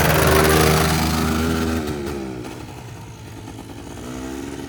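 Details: Polaris Trail Boss 350 quad, abandoned 15 years, after carburetor clean, fresh fuel and jump start; revs up crisply, drops back and runs evenly without sputtering; carburetor now fuelling cleanly.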